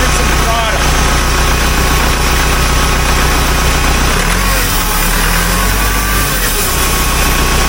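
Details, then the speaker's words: 1975 Case 580B loader backhoe, long-overdue service, before repair: diesel idling with a faint whining, scratching noise like cavitation, felt on the transmission suction line; owner starts with the transmission filter. "it's almost like a whining scratching noise it's like a cavitation and I can feel it right on this line here yeah this line I can feel it this is a suction line for the transmission"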